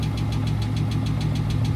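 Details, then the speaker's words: Dodge Scat Pack V8 after sitting and work to replace the fuel pump, moly additive added, owner suspects a lifter: steady idle with fast even light tick about eight per second; engine ticking, source unconfirmed. "hopefully it helped that lifter bro that's a lifter or something do not sound good but she back up and running"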